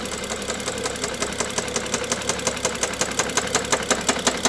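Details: BMW F07 with N55 engine at quiet idle: sharp, even ticking at about three knocks a second, a clear knock from inside the engine.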